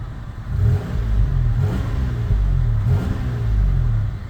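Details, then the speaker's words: Toyota wagon, warm after about two miles of driving, with no check-engine lights; owner notes it is losing a lot of fluid from a reservoir. Steady engine rising and falling smoothly through light revs, no knocks or ticks, running normally. "it is [Music] warm and it just runs like a top"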